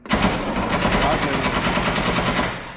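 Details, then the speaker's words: Truck starting attempt: rapid machine-gun chatter of clicks for about two seconds with no cranking, battery dead and put on charge; starter solenoid clicking from dead battery. "this thing's deader than 2 doornails. Let her set go for about 5 minutes. Put a real good charge in."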